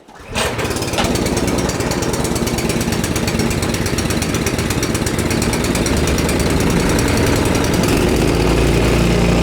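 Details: Husqvarna ST224 two-stage snowblower after cleaning to fix a no-start, started by pull cord on choke, quarter throttle, fuel valve on, no primer bulb; a quick catch, then a steady, even single-cylinder chug that holds speed without surging.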